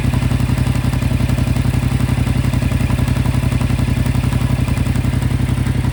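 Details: 2025 Yamaha MT-07 at 9500 km, idling: a light, regular clatter of about four taps a second rides over the engine. The source is unclear.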